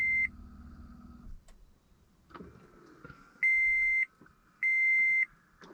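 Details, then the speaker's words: 2013 Toyota Prius with 10-year-old failing 12-volt battery, headlights on for load: steady high beeps about once a second, no engine; warning lights, traction control light, battery down to 7.86 volts. "And it's not happy. I got the exclamation point, the traction control light, and then I've got all these lights over here, and I've got nothing else. And I'm down to 7.86 volts."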